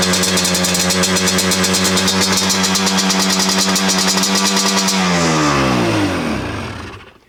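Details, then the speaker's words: 2005 Yamaha Banshee SE two-stroke after a TORS delete and carb cleaning, pilot air screws 2 turns out, no choke: a fast ringing idle that sags and dies; the owner suspects the idle screws are set too high. "All right, so I don't feel like that was a runaway. I feel like that's idle screw. So I'm gonna loosen the idle screws down, back them out a quarter of a turn."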